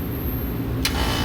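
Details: Bar rooftop AC unit that kept tripping its main breaker, after a full rewire and after reversing the phase rotation: steady, deep compressor hum with a clean start and no grinding or labouring; compressor now running correctly.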